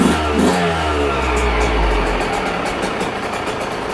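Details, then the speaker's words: 2022 Yamaha YZ125, about 30–40 hours, after a top-end rebuild for a broken stock cast piston and lost compression; first fire on choke: catches after a few kicks into a raspy, fairly even ring-ding idle, no knocking or rattles. "Well, she's a runner. I'm going to sit here and just let her warm up a little bit before I give her a test rip"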